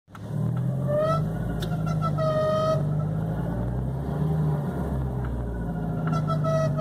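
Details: 2006 VW Gol G4: a thin whistling tone rises and fades every second or two over a steady idle; the strange engine noise happens both parked and driving, belts already replaced, cause unknown.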